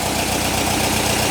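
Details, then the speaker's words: 1959 VW single cab pickup, replacement air-cooled engine idling warm, cooling fan on generator blowing air over the motor to heater boxes: smooth low chug, no misses, knocks or ticks; normal healthy idle. "The lights are off. Sounds good, I like it."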